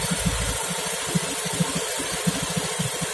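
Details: Honda Beat FI scooter, idle slightly high with ignition setting still to be adjusted: small single idles with a soft, slightly uneven putter around ninety beats a minute, settling down; idle becoming stable.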